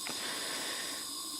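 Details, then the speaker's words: Air compressor after a DIY pressure switch replacement, connections re-tightened: a steady, airy hiss with no engine noise, air still leaking at the filter intake port. Owner suspects a gasket needs replacing. "I can hear there's still a leak actually, and when I trace it, it's actually coming from the filter intake port."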